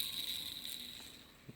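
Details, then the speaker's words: Makita 9558HN 125 mm angle grinder, armature removed: dry, gritty high-pitched rasp as the worn armature ball bearing is spun by hand; fixed with new armature and gear housing. "okay so now the armature see moves can hear how the ball bearing was working"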